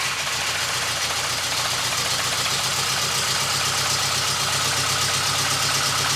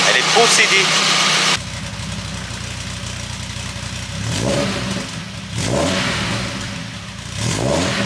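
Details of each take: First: VW Golf 2 GTI with Digifant injection at idle after fitting smaller injectors; rough, lumpy idle with an uneven beat, sounding like one cylinder missing. Unchanged by the new injectors; owner unsure, wonders about fuel flow. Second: VW Golf 2 GTI with Digifant injection, after replacing injectors, injector harness and fuel filter; settles into an even idle, throttle blips rise and fall cleanly without stumbling: engine running normally.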